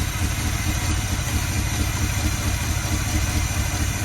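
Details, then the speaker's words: 1972 Chevy C20 3/4-ton, factory 402 big-block V8, automatic, on a crude gravity-fed external fuel supply: lumpy, slightly uneven idle with loose pulses and wind noise, running while fuel slowly trickles in; rough idle from fuel starvation. "Well, there we go. It's idling away. Just slowly trickling fuel down into it."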